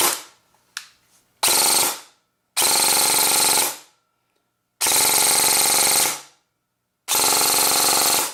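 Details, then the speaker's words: Airsoft gun gearbox, dry-firing test after fixing the motor pinion: four harsh, high one-second whirring bursts, shriekier since the motor moved; an off-centre gear bushing causes the noise, with no parts warming. "one of the bushings and the gear that's in there is not completely centered so as it rotates it makes this noise"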